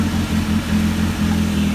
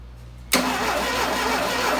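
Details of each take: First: Freshly DIY-rebuilt 175-hp Dodge 2.2L turbo GLHS engine in a 1985 GLH-T, just after first successful startup, before thermostat warm-up: firm, steady note with a clean low beat swelling slightly on a blip, no knocks or rattles; running healthy. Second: 1985 Dodge GLH-T with a rebuilt 2.2L turbo GLHS engine swap, first start attempt: the starter spins the engine at about four beats a second for four seconds but it never fires. A crank-no-start; no spark is suspected, though the coil is hooked up.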